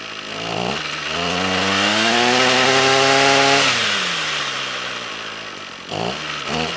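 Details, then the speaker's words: Trash-picked Ryobi string trimmer, air box broken, no choke: small engine screams up smoothly, then sags and dies once throttle is released; no idle because the carburetor idle set screw is broken off. "well it's still stalling when i let off the throttle so let me see if i can adjust that idle set"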